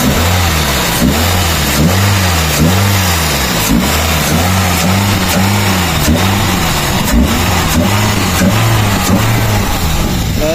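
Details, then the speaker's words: 2001 Toyota Altis 1.8G petrol after an oil change with the oil pan pulled and the strainer cleaned, fresh pan gasket so revs kept gentle: engine blips up and settles about once a second, smooth with no tapping or rattle; the earlier noise is gone. "Check natin kung okay yung pinagawa natin ng makina. So ayan, napakatahimik mga kadeway, oh."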